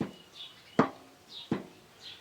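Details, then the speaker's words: Heavy Chinese walk-behind tractor, left side: heavy single clunks about every 0.7 seconds, like a big tractor; the half-shaft has play, knocking vertically on turns and bumps; owner plans to tighten or add a shim. "З самого початку в мене був з лівої сторони такий стук. Стук, як в тракторі великому."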